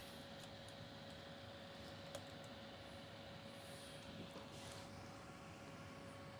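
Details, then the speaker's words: Anycubic Vyper 3D printer with TMC2209 silent drivers, auto-leveling and the bed slowly lowering. Only a steady fan hum and a faint constant tone are heard; the axis motors are nearly silent. Normal quiet operation. "slowly lowering the movements on this thing are hyper quiet the only thing that i hear is the fan"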